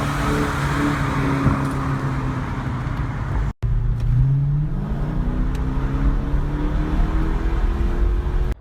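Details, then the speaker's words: 2002 Mercedes-Benz W210 E430 V8, stock except rear muffler cut off: deep, loud, throaty unmuffled rumble swelling as revs rise; muffler delete later removed because it droned on the highway. "so I got it and I immedately got a muffler delete so kept everything stock except just cut off the rear Muffler"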